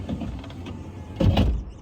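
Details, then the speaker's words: Nissan 350Z driver power window: short motor whir then sharp clunk partway through travel, clunks every open and close and when closing door with window down; window regulator or motor suspected, not confirmed. "But the problem I'm essentially having is that my driver window makes a clunking sound every time I open and close it."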